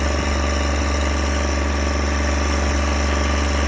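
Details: John Deere 1023E diesel tractor after accidental gasoline fill, tank siphoned; past the rough, smoky start it now runs at steady speed with an even deep hum, no misses or knocks, settled and smooth.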